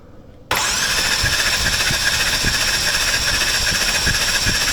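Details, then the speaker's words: Orange 2015 BMW M4 S55 with upgraded Pure turbos, after a dyno failure, compression test on cylinder 4: cranking hiss with uneven thumps, one beat lacking push; no compression in cylinder 4, others about 170–185. "Okay. So when I press the Schrader valve, it's not doing nothing. So let me hold on. I think it's very obvious, but one more time. Okay. Your cylinder 4 has a big f***ing hole."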